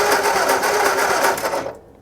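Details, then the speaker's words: 1960 Ford F-350 revived after sitting 34 years, new starter just installed: harsh, rapid, rattling grind while cranking for about 1.5 seconds; sounds horrible, starter grinding on worn flywheel ring gear. "That is a relieving sound. Even it sounds horrible, but it's still a relief to hear that because earlier this morning, we thought we didn't have a starter."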